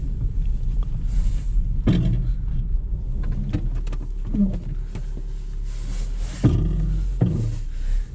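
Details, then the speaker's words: Renault Clio on a test drive: sharp clunks and bangs over road rumble a few seconds apart as it rolls over bumps, with lots of play in the steering; broken front coil spring knocking. "yeah that's Str it's definitely broken spring on there yeah a lot of play in the steering"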